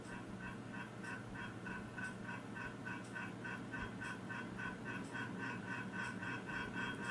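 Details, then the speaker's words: 36-inch ceiling fan, possibly CEC Toastmaster, on medium speed; light regular tapping about three times a second over soft whoosh, coming from the oversized light fitting on the fan, not the fan itself. Light fixture rattle. "Make some noise that noise is not coming from the fan itself it is coming from the light that is on the fan"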